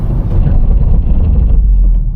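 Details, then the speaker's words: Hard braking from 40 downhill: deep, fast-pulsing rumble and grinding as the ABS kicks in; normal anti-lock activation keeping the car straight. "Did you hear the grinding? That was the ABS kicking in. The ABS really had to kick in there."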